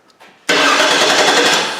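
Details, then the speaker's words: 2008 Cadillac DTS 4.6 Northstar, auction car with new starter and battery that wouldn't crank: with the starter relay jumpered it cranks fast and steady but doesn't fire; fuel pump relay code present, so the no-start is likely fuel-related. "so it has the ability to crank wait a minute let's start should have started in that bit of time shouldn't it well we got that fuel pump relay cover so it won't start but it does have the ability to crank"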